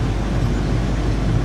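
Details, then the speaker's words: Used corn head of unknown history, fired up after checking row gearbox oil and adjusting the chains; steady even low rumble, no knocks, rattles or chain slap; normal running. "Everything sounds good. None of the chains have any slop in them, it doesn't look like."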